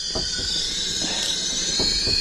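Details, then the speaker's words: Volvo T5 engine, not run for at least two years, leak-down test: crank turned a further 90 degrees with exhaust valves open, steady high airy hiss of compressed air escaping out the exhaust, none from the inlet, normal for this position. "Further 90 degrees, still coming out of the exhaust, which is completely normal."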